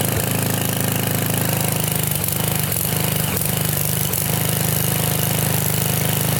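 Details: Trashed Sears Craftsman pressure washer, 6.5 hp Briggs OHV single-cylinder, 2500 psi 2.7 gpm, revived after no-run, started on full choke: deep, steady thump at an even pace, no misses or knocks; running normally.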